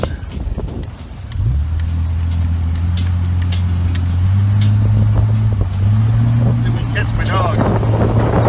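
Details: Old Jeep with 256,000 miles after U-joint replacement, test drive with tight turns: engine note climbs smoothly with no crunching, clicking or clunks from the driveline; normal driveshaft operation.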